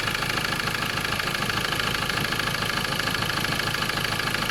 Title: Ford ranger 2.2 xlt 2011-2014.. M/T engine knocking